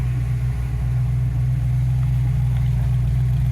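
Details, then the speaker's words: 1969 Ford Mustang V8 with freshly installed transmission, first run in over 40 years, idling with charging and fan working: steady even burble sitting a touch high; owner plans carburetor adjustment; vacuum thought to be about 14; high idle. "feel like the idle's just a touch high, but yeah, she's ready to go for a spin."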